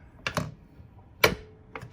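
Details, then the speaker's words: Ryobi 7-1/4 in miter saw: crisp single clicks as the control arm swings the miter table along the scale, the positive stop detent locking in at 0 and then 15 degrees, working normally. "You hear that clicking noise? It locked in at 0 degrees. That clicking noise means that that's a positive stop, okay?"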